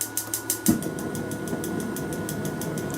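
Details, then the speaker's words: Ryobi P3180 18V hybrid propane heater: after pressing start, a quick steady train of light ticks (about six per second) over a soft fan hum as the light turns green, signalling it is ready to press the ignite button; normal. "wait for the little light to turn green you hear that clicking as telling you it's time to go ahead and press this button"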